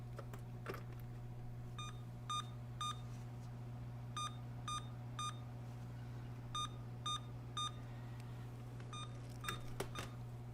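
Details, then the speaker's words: Emerson Elite SX386 (386SX) with 60 ns 30-pin SIMMs: repeating groups of three short beeps with pauses; POST apparently reporting memory again after an earlier video code, before a CMOS reset; cause suspected, not confirmed. "well actually that was one long beep and now you're right one long beep and h i think that was eight short beeps or something that is video but now it seems to be complaining about memory again"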